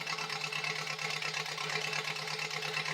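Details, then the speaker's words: 1953 Farmall Super C, seized engine soaked a year in Marvel Mystery Oil, first run on ether then E10 gas with two-stroke oil: uneven, lumpy idle about three beats a second with dropped pulses; misfire at idle, cylinder not identified. "back, shut the camera. Sounds like it's missing."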